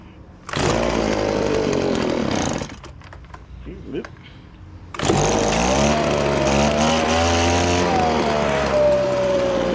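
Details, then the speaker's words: Echo PB1000 2-cycle leaf blower with a fresh carburetor: catches and revs briefly, dies, then fires again into an uneven buzz only when gas is squirted into the carburetor; suspected dirty carburetor and fuel lines needing cleaning. "This old $3 Echo chainsaw seems to run if you put a little gas down the carburetor."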